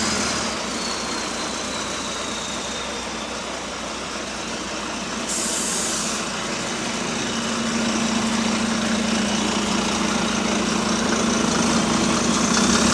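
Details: Diesel bus GAL WVN46 on route 486 idling with a fast, even puffing chuff about four times a second over the engine note, from a slight exhaust leak.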